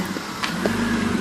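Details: 1995 BMW E36 325is M50 warm inline-six idling below about 1000 rpm: light, uneven teeth-chattering rattle over steady hum, only after warming up; owner wonders about VANOS, cause not confirmed; rattle at warm idle.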